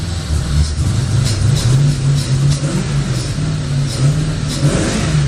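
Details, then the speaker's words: 1985 Chevrolet Corvette C4, sat about 2–2.5 years, throttled with the air intake removed after testing the transmission forward and back: the note surges and sags and never climbs cleanly; it won't rev. The owner suspects the missing intake. "oh let's go she doesn't want to rev at all i'm thinking it's the uh"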